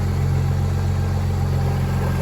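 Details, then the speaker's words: Audi 2.7T on a Link plug-and-play ECU after a misfire was fixed by returning pins 103 and 94 (cylinders 3 and 4) to their normal locations: smooth, steady low idle with an even beat, all cylinders firing cleanly, purring perfectly. "So, and when I swapped them back, I mean, she's idling perfect. Man, listen to that. Freaking purring."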